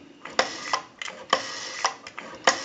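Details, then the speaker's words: Northern Electric Galion rotary desk telephone at initial checkout, dialing a time-and-temperature number: quick runs of crisp, evenly spaced clicks as each digit returns, no drag or hesitation; smooth normal rotary dial return. "have a nice smooth return on the rotary"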